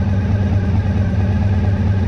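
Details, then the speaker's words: 1985 VF1000R V4 that sat three to four years with a poor idle. After carb cleaning and balancing with an airflow gauge, the idle is set slightly high. Steady, even rumble with no stumbles that revs out and returns to idle cleanly: idle issue fixed. "so it's revving out nicely and it's returning to idle nicely so yeah I'm happy with that"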